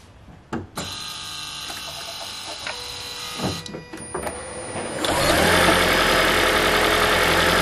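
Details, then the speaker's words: 2012 Toyota Prius v (ZVW40R) 1.8L 2ZR-FXE hybrid automatic, at start and idle: tinny metallic buzz over the idle from the exhaust heat shield, whose two metal washers are worn out; fix is removing the shield's four 10 mm bolts. "so we found the rattle this is common problem in the the psv model so they're coming exhaust shield uh top off in the exhaust see that one making rattle because they have some two uh metal washers the inside is worn out so that's why it's making rattle"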